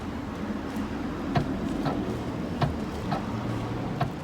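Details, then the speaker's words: 2008 Ford Focus tailgate pressed via the boot button: faint regular clicks from the lock actuator, proving power reaches the latch, yet the tailgate won't open; the lock's internal motor plastic gearing has failed, fixed by replacing the lock. "when we try to open the booth we can hear the latch activating so this tells me that Barry's power going to latch on the button"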